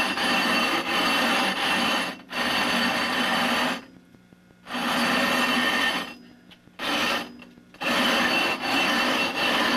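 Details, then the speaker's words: Rough grinding a 20-inch telescope mirror with #10 coarse abrasive, pressing down as hard as possible: harsh gritty rasping strokes with short pauses, fresh abrasive cutting the glass normally. "I'm going to push down hard as hard as I can during the first couple of times and just to make sure I get as much cutting action as possible this is recommended a text rules book how to make a telescope during the rough"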